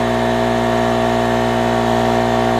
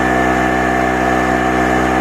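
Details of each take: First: Harbor Freight 900 W two-stroke generator loaded with an 800 W heater, its maximum: steady heavy droning hum, engine bogged and straining, voltage dropping; overloaded at its rated limit. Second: Harbor Freight 900 W two-stroke generator, about 7°C, running light bulbs at roughly 225–350 W: constant buzzing drone at fixed pitch, no hunting or surging; steady running under light load.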